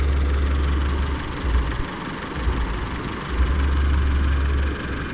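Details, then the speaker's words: Older Isuzu D-Max diesel with hard hot starting, running after a workaround: a low, steady, even idle rumble with no misses or knocking, smooth as before. Normal idle. "นี่นะครับติดแล้วเสียงเครื่องมันจะรั่วนิดนึงนะครับแล้วเราก็เอาตัวTเครื่องยนต์เดินเรียบเหมือนเดิมนะครับผม"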